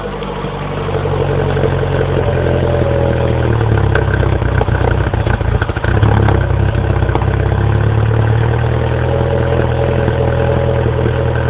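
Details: 2007 Mini Cooper S cold start after sitting overnight, 9°F garage, about 5°F outside; stalls, restarted with half throttle, then idles unevenly with stumbles. Dealer diagnosed condensation and ice in the throttle body housing. Rough misfiring cold idle.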